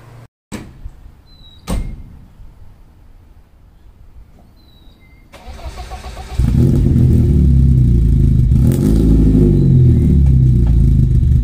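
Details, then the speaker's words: BMW E30 318i drift car, after installing a Dinan performance chip in the ECU: engine catches and settles into a loud, lumpy, uneven idle; owner suspects the engine adapting to the chip, as it leveled out once warm before. "alright guys so hooked it all back up it's definitely running you can hear it's idling really off right now"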